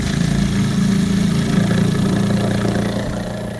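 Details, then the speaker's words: Small engine sap line vacuum pump for maple syrup, pulling about 15 inches of vacuum in 60°F weather: steady even idle, smooth low throb, no knocks or misses. "All the pumps are working great. They're all still pulling sap really good."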